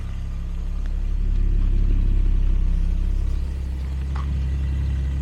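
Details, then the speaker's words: 1977 Jaguar XJ12 after breakdown, timing roughly reset, spare slightly rich ECU, air filters off, worsened exhaust leak: even, deep, steady burble with no stumbles; V12 running on all cylinders. "on all cylinders I do have the ECU in there which is a little bit richer it's my spare ECU uh that one is better that one's a little bit on the rich side but I mean runs up fine"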